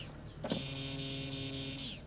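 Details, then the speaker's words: Honda Scoopy scooter (2023 or 2024), everything else works but fuel pump won't hum; pump tested directly on battery: sharp electric whirr starts abruptly, holds a steady high pitch about 1.5 seconds, then fades and won't run again; faulty fuel pump, needs replacing. "Oh, ini enggak nyala lagi. Oh, berarti rotaknya ini bermasalah di dalam ya. Jadi mau enggak mau kita ganti ini rotaknya."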